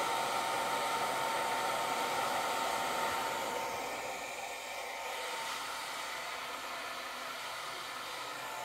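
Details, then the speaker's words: Longer Ray5 20W laser engraver module cooling fan with custom duct and air filter fitted: steady airy white-noise rush with only a faint thin whine left underneath, fan speed not reduced; normal, healthy airflow. "this one has almost none of that wine shining through but there's more of a white noise sound behind it"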